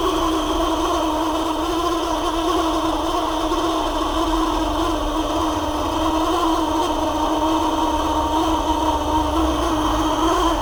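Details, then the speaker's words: Parlux 2800 hair dryer, warm: strained, uneven motor hum with rough buzzing edge; motor heavy and not spinning freely, likely dry, worn bushing at the upper motor mount dragging. "tá me parecendo mais gente que esse motor tá meio que pesado para rodar por isso que eu tava fazendo esse barulho tô vendo aqui ó que ele não tá tão livre para rodar né provavelmente embuchamento tá fazendo frente ele tá ressecado"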